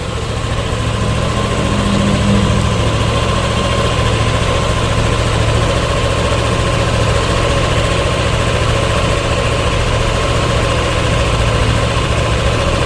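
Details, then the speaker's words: Yamaha Aerox 155 scooter CVT at idle, recorded close to the CVT cover; smooth, even hum with no rattle, squeal or knocking. CVT in good condition; worn CVT parts on older bikes usually show odd noises most at idle. "Nah teman-teman di bagian CVT sangatlah halus suaranya tidak ada suara yang aneh-aneh"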